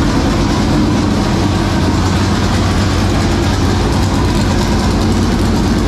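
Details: 465 ci V8 race engine started for the first time in three years, after getting better fuel pressure: deep, loud, steady rumble with a lumpy race-cam beat, firing evenly with no knocks or misses. It sounds big and runs healthy.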